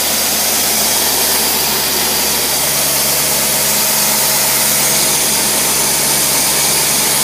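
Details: Carburetted engine on a test after carburetor work, with the air-fuel ratio adjusted and the choke factory-pinned off; at most 3 lb fuel pressure is recommended: a steady, even idle hum with no misses, knocks or hunting. Normal idle.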